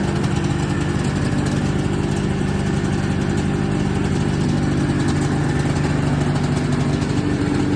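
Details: 1979 Yamaha SRX snowmobile two-stroke, restored fuel and cooling systems, after skid reinstall and track adjuster cleaning: steady, even burble with constant low note, no knocks or misses; normal idle.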